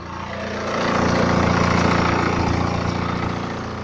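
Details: 2011 BMW 318d, N47 diesel, 178k mileage, fresh oil and belt change, cold engine at idle, phone recording: steady, even clatter with a faint rattly edge; owner asks whether it is timing chain noise, unconfirmed.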